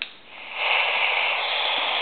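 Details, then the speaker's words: Standard AM radio with laptop and everything switched off: steady, even hiss with no buzz, whine or pulsing; plain baseline static, no interference. "and everything is Switched Off right now and all we have is static on the radio"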